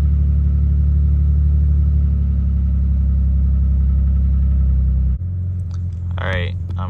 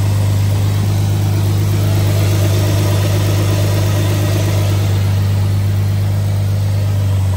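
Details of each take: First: 2007 Dodge Magnum 3.5 V6 idling just after a cold start: lumpy, uneven rumble with a stumble about four times a second; cylinder 3 misfire (P0303) from a cracked spark plug. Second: 2007 Dodge Magnum 3.5 V6 at a steady, even idle with a deep constant hum, no stumble or skipped beats, after replacing the cracked spark plug that caused a cold-start cylinder 3 misfire (P0303); misfire gone.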